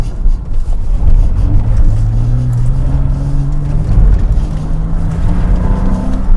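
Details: 2007 Porsche Cayman flat-six, full-throttle autosolo run at Goodwood after an earlier Variocam-related misfire was repaired and now runs well: strong clean note rising smoothly through the revs, no stumble or miss; normal acceleration.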